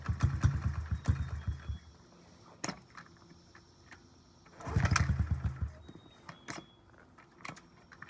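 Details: 2009 Honda CRF50F pit bike, not started in 2 years, kickstarted with choke up: repeated short bursts of a few uneven pops, catching briefly then dying between tries; hard starting because the choke was left on too long.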